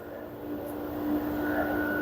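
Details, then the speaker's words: LG F1280QDP2 front-loading 6kg washer/3kg dryer after main PCB power IC repair, test spin at 1,200 rpm maximum: steady smooth direct-drive motor hum with clean even tone, no knocking or grinding; spinning normally at full speed. "1,200 it is maximum rpm that's mean is showing 1, uh200 120 mean 1,200 maximum rpm"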